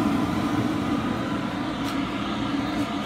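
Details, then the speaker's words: Cheap eBay 12V 5kW diesel air heater on a bench test, just fired up: steady, even rush of air with a low burner hum, no pulsing or rattles; running normally. "don't run this dry for too long I think she's firing up there I can hear it"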